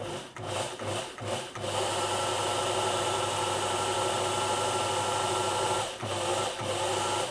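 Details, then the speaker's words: Elna Electronic TX (Lotus-type) sewing machine with stuttering/non-starting fault: original motor tested on a known-good board spins up smoothly, stops and starts cleanly without stutter; motor is good, fault likely a 2.7k resistor on the original board. "All right, so that tells us that our original motor is good and that more than likely the issue is going to be the resistor on this board here."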